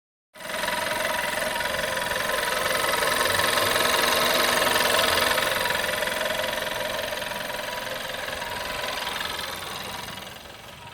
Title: Vw 1.4 TSI metal ticking sound after chain replacement